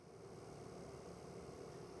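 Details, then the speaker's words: 1981 Corvette fan after fixing a new relay with a bent tab that had cut power to it: quiet, steady airy whir with no clicks or scraping. Normal fan operation after repair. "it's working. All right. The problem we had was when I put on the new relay, I bent one of the little tabs back. So, it wasn't sending power to the fan."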